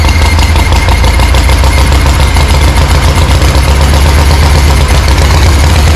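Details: 1974 Harley-Davidson Ironhead chopper, not run in 15+ years, carb swapped to an S&S Super B, fresh oil, no exhaust pipe fitted; loud ragged coarse thumping and spitting as it blasts out debris on first start.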